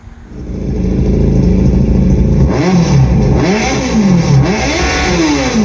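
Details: Generation 1 Yamaha FZ1 replacement engine revving; blips up and falls back cleanly several times, pitch swooping smoothly with throttle, no knocks or rattles; sounds healthy.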